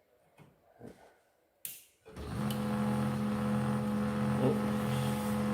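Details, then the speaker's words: Canon 2900 laser printer pulling paper; after a click, a loud, steady, high-pitched squeal over the motor hum; abnormally loud feed noise; rubber feed roller beneath to be checked and cleaned; cause not confirmed. "Đấy, bây giờ tôi các bạn trả này sao các bạn nghe tiếng rít của con máy in này nhé."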